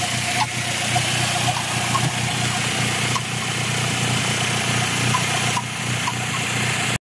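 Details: Chirping at idle appearing after 10+ minutes of driving: faint irregular high chirps about every second over steady idle; owner had suspected throwout bearing since it once stopped with clutch pressed, now constant and getting louder.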